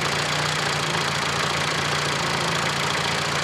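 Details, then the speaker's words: 1991 Fiat Panda 4x4 with Fire IE engine and Bosch ECU 0280000759, after adjusting tick-over speed that had been racing, evap vacuum lines blocked with bolts; calm, steady low idle, even hum, no hunting. "Oh, it ticks over much nicer now, look. Before it was racing and going crazy."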